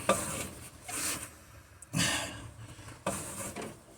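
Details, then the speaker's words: Car engine being rebuilt in place, still on the transmission, distributor loosened, turned slowly by hand at the fan: a soft, even airy whoosh about once a second; compression is present. "Now, I want you to listen carefully because this does have compression when I'm turning it by fan."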